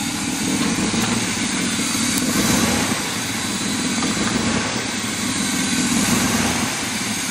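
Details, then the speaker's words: Old fire truck, first run, cold on a hot day, very low idle around 14.5 V charging; loud, ragged, hissy idle with low chug as the exhaust muffler has nearly fallen off and two air pumps aren't connected. "making weird noises because the exhaust muffler about fell off and the air pumps are hooked up but not hooked up"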